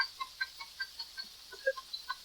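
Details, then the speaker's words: 1981 Evinrude 20 hp outboard, tiller throttle (claw) handle twisted after the throttle linkage slop was fixed by adding a screw; crisp light ticks about five a second from the ratcheting detent in the handle, normal detent clicking. "That's the the claw handle. Tick tick tick tick tick tick tick. So that's where you get that little bit of crap."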